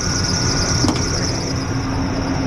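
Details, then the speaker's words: 2005 Ford F-150 XL 5.4 Triton V8, lifted 4x2, idling with a steady piercing squeal from the accessory belt tensioner; customer's reported knock not found. "yeah all I got on this thing is that sque noise down there in that tensioner that one it's that one or the tensioner"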